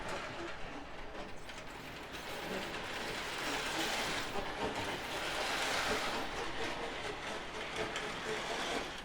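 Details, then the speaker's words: Prewar Lionel 259E locomotive on track after drive gear repair: small motor whirs with a rough, gritty rasp about two or three catches a second; drive gears still grinding a little though it runs. "that's the noise it makes so i guess it goes around fine it just it just grinds a little bit and i don't like that shouldn't be doing it"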